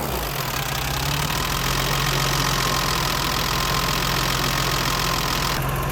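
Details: BMW 325i E30, M20 engine, cold idle after valve clearance adjustment to manufacturer spec: fast light tappet ticking over a steady engine note, noisier than before.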